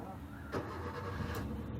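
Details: Maruti Suzuki Swift (K-series, CNG) after repair, no fault codes and check light off: quick crank, fires and settles at once into an even low idle with no stumble or misfire; normal start and idle.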